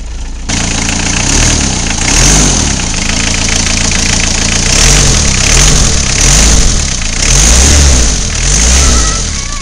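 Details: Isuzu I-Mark engine revved in repeated blips after the squealing fan belt was replaced with a new one: a clean, even rise and fall with no squeal or knock, running healthy.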